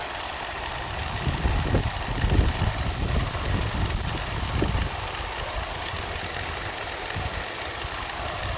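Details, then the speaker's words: Bell & Howell 652 16mm film projector from about 1965, first power-up after restoration; the motor smoked and was slightly seized, hand-turned then jump-started; now a steady, even mechanical whir with a faint low rumble, running freely. "Yeah, it just seems like it was just a little bit seized. Uh, but now it appears to be going."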